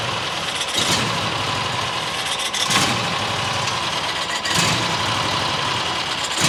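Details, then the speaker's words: New John Deere XUV side-by-side, idle screw turned in: rough idle swelling and sagging every couple of seconds; dirt suspected in carburetor low-speed circuit after a rodent nest got in. "I keep choking it. You know, there's probably crap in the carbureetator because uh fluffy got in there and it probably sucked in a bunch of dirt."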